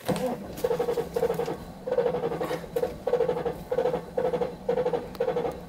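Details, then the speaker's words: Mercedes-Benz S500 W140, with sulfur smell and suspected bad catalytic converter: starter cranks evenly about two pulses a second but engine won't catch; owner suspects it isn't getting fuel, cause unconfirmed. "it just seems like it ain't getting fuel turn it on three times and let it pump some up there maybe"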